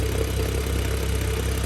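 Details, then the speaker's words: BMW F10 with N55, new MFactory single-mass lightweight flywheel and 550 clutch, idling in neutral around 700 rpm, not fully warm, recorded underneath: deep, even idle with light rattle pulsing with engine speed; typical single-mass flywheel rattle. "maybe it'll get louder but that little bit of rattling is what everybody's complaining about"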